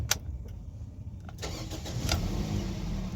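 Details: Toyota Corolla (2009–2014) after fitting a replacement starter motor for a starter-not-cranking fault: a few quiet clicks, then the starter spins and the engine catches within a second and settles into a steady run. Normal crank and start.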